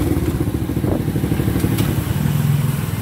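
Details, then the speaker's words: A small single-cylinder converted to CL style, with a large cylinder, large carburetor and Taiwan 125 carburetor, idles with a fast, light, uneven clatter over a low thump. It is loose valve clearance, and adjusting the rockers under the two caps fixes it. "Xe này các bạn muốn im á, gỡ hai nắp chỉnh cò, mình tiết hai cái đầu cò, hai cái đầu xúc bắp lại tí là bao im luôn ha."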